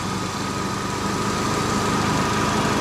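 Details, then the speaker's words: Copart-bought Meriva idling with aircon on and compressor clutch engaged: a steady even idle with a smooth condenser fan rush and a faint constant whine, the fan cycling on again. Car has AC fault B3933-05 (low side pressure sensor circuit) and code 95. Normal running. "The fan was just spinning again then. Hasn't gone off yet, but I was waiting for it to disengage. Fan's on again."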